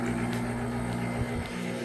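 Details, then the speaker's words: Homemade water heater heat pump, first test: compressor, fan and submersible water pump running, steady low hum with even whir, no knocks or rattles; running normally. "the loudest thing over there of course is that submergible pump pressor's running fan already was running"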